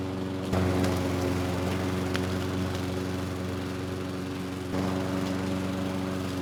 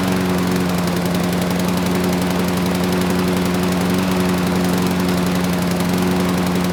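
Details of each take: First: Craftsman lawn mower (model 917.374541) with Briggs & Stratton Quantum engine (128T02-1270-B1), curbside find revived with a new carburetor, cutting three-month overgrown grass: steady even drone holding pitch with only brief dips; runs strong, no misses under load. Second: Free curbside Craftsman mower (917.374541), Briggs Quantum engine 128T02: a steady single-cylinder drone that is heavy and lumpy; owner thinks it's running rich, possibly from a stuck auto choke.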